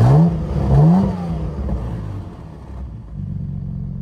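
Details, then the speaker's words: Cadillac CTS V-Sport: loud, deep, open roar swelling as revs rise, as if the muffler were missing; hole in the exhaust grown large, exhaust leak, with an exhaust hanger under the front seats cracked at rusted welds. "i had an open exhaust sound that's right the hole got so big that it sounded like i didn't even have a muffler on the car"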